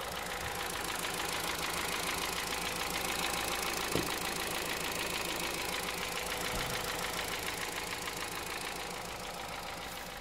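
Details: 2009 Honda Civic Hybrid 1.3 idling with a steady, even knock of about three to four beats a second; owner wonders if it is the timing chain, piston slap or bearings. Cause not confirmed.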